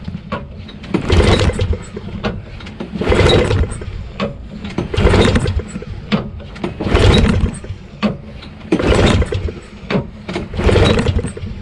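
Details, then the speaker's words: Honda Harmony HS520 4-stroke single-stage snowblower at 21°F, fresh gas, on choke: repeated recoil pulls every two seconds with no firing; won't start, owner suspects clogged carburetor. "Doesn't seem like anything is happening. Not even a sign of it starting."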